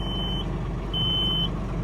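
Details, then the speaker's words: 2020 John Deere 3046R tractor loader backhoe, 260 hours, diesel idling: high steady reverse alarm beeps about once a second, half a second on, half off; backup alarm working normally. "It's a nice addition if you're working around the house, give your family notice, or if you're a construction guy working with employees, letting them know you're backing up."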